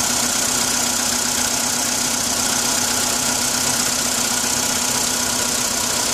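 Steady idle with a light, fairly regular tapping around three per second over a hissy background; a cold-start knock, cause unknown.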